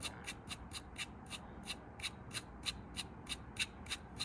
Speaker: yeah this is the bearing and um you can hear it it's quite crunchy and grindy uh and that's spinning all the time